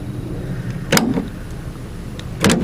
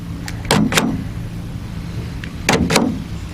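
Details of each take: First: 2016 GMC Sierra tailgate power lock actuator, panel off, engine running; the tailgate won't stay locked. Two short motor whirs with a soft clunk about 1.5 seconds apart, lacking pull; weak actuator, replacement due. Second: 2016 GMC Sierra, after replacing the tailgate power lock actuator with an OEM ACDelco unit. Two crisp paired clicks for unlock and lock, nothing dragging or buzzing; normal lock actuator operation.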